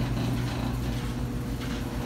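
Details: Dryer running with a steady low, rough rumble and grumbling texture, before disassembly; suspected foreign debris caught in the blower housing, checked by removing the back panel.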